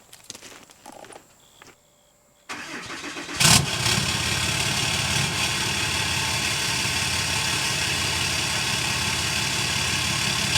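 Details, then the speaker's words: 6.7 Cummins after EGR/DPF/grid heater delete, first start with 5 in exhaust temporarily fitted for sound test: brief crank, then loud steady diesel idle with even rumble and open exhaust roar; sounds good and healthy. "It sounds good. I mean, I still think I'm going to like it better with the 4 in on, but at least we know."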